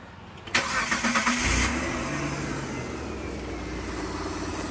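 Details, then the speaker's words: Mitsubishi Delica V6 after camshaft seal replacement, with no leaks afterward. It cranks briefly, fires quickly and settles into an even, steady idle: normal start and idle. "i drove a little bit um it runs it right it runs really well um there there's no leaks it runs very smooth"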